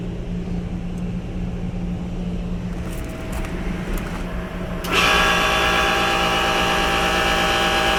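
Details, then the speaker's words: Original Trane 3D Scroll compressor in a rooftop pool dehumidifier, about five years old, starting up: blower hum, then compressor kicks in with a loud, harsh buzzing drone and rattle; noisy, possibly worn compressor. "it sounds like it's about as loud as a Goodman unit a Goodman residential even though this is like three times as large capacity as your Goodman residential unit"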